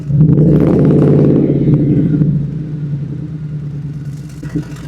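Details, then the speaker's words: Old pickup truck with no mufflers, microphone at the exhaust tip, start and revs before resonators are fitted; loud deep rasp swelling on the rev and settling to heavy drone, droning at cruising rpm. "So, when it starts at higher RPM, it kind of is really loud and it actually ends up uh being not way uh when you're cruising down the road, it sits right in that droning loud spot."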